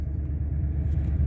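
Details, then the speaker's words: 2003 Ford Expedition 5.4 V8 restarted after the idle air control valve was replaced; it used to stay at about 2000 rpm on startup. Now a smooth, even low rumble with a steady slow beat and no surging. Settled to a normal idle. "i'm hoping it's idling down nice like i said before this would be at about 2000 rpms"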